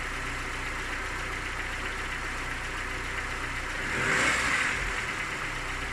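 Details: Engine knocks when cold with a faint regular tapping of about four per second at idle, plus a short rev; the knock fades as it warms and is gone by 90 °C; hot compression 11 in all cylinders, cause unknown.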